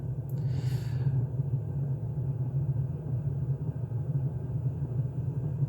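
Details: A Chinese Webasto-type diesel air heater runs normally at full power after a 21°C setpoint is requested. The fuel pump ticks faster, under a steady, even low roar with no surges or misfires.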